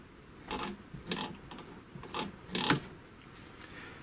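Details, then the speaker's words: Chaika 2 sewing machine on zigzag setting 5, shaft turned by hand, knock from play in the zigzag mechanism; after removing the second shim washer a faint knock remains: sharp knock about twice a second from the cam follower on the cam. "Проверяю, что у меня получилось. Так, есть ещё еле заметный стук."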